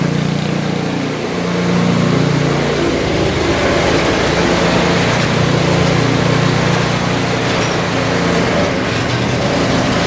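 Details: Briggs & Stratton Brute snowblower with electric start, which would not start (owner suspected water or ice had got in), now runs with a fast, even putter for ten seconds, no surging, stalling or misfiring; running properly.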